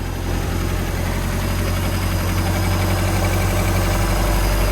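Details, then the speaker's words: MerCruiser 3.0 inboard in a Stingray 192 RX boat, water hooked up, plastic shield on the flywheel area: steady, even low rumble at idle with no knocks, misses or rough patches; normal healthy idle. "should be good to go got that plastic Shield hidden on the flywheel area but other than that she sounds good"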